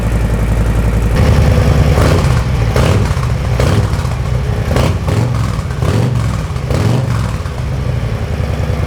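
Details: Brand-new 2024 Harley-Davidson Softail Low Rider S V-twin, cold, just after slip-on TAB Performance 2.25" exhaust install: starts cleanly into a deep lumpy idle, then several sharp revs rising and falling crisply; normal idle and revving.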